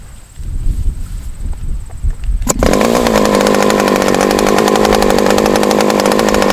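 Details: Super Tigre model glow engine on a test stand with an OS No. 8 glow plug: sharp pop on start, then a steady high-pitched buzz that wavers instead of settling clean; rough running, cause not pinned down.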